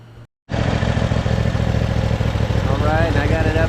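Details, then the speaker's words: 2018 John Deere E180 riding mower, neglected, running outside after repairs while checked for leaks: small twin idling with an even steady thump, no ticks or knocks; smooth, healthy idle. "out here running I'm going to let this run for a few minutes I'm going check for leaks"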